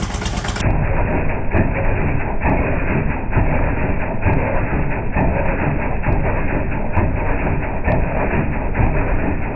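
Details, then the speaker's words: Roadside-rescued, rehabbed Toro S-200 snowblower, started on a six-year-old battery, first test after a speed burst: low rumbling run with a dull knock about every second; the engine is knocking, cause not identified. "Mike from Germany if you're watching turn your volume down for a second it's time to listen to some knocking and slow motion"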